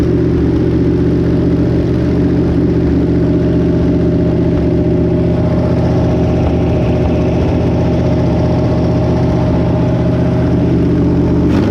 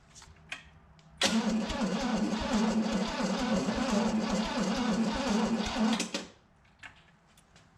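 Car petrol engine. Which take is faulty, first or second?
second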